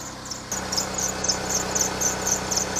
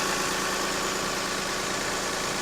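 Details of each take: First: Lexus RX300 running engine: a sharp, high chirp repeats about four times a second. The worn alternator belt is squealing and due for replacement. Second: Lexus RX300 after alternator belt replacement and retensioning: steady even idle with smooth hum, no squeal or chirp from the new belt; engine sounds healthy.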